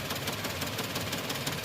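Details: Suzuki with code P0300 and injector circuit codes: rough, uneven idle with irregular thumps. Injectors 2 and 3 cut in and out intermittently, and a wiring fault in the injector signal wire to the ECM is suspected but not confirmed.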